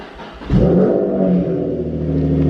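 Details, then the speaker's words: Nissan 350Z/G35 V6 cold start in a small garage right after replacing the camshaft position sensor: cranks and fires quickly, then settles to a steady, even low idle with no misses or knocks; sounds healthy, problem appears fixed. "Everything looks good. The car is cold, but I mean everything's looking good, honestly."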